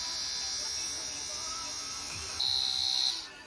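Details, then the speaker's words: Spare Sierra RS Cosworth ABS pump motor bench-run while building a master cylinder from spare parts: a steady, fairly loud high-pitched whine with no stutter. It is not the quietest but is judged in good health. "It's not the quietest of pumps, but there's no stutter. I'd say that's pretty minty, that."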